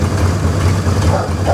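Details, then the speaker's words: 1960 Chevrolet Impala small-block V8 after sitting since Saturday: sputtered at first start, then deep steady even idle with no vibration or misses; exhaust has rust holes. "she was sputtering in the beginning but listen to it now not a vibration"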